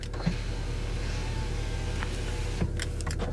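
A steady electric motor hum for a couple of seconds, then the window thuds into its stop; the window runs normally.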